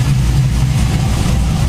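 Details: Saab 9-7X (Trailblazer SS) V8 after LS1-style water pump, tensioner and thermostat upgrade, belt treated after coolant spilled on it; deep smooth idle with no belt chirp or squeal; normal idle.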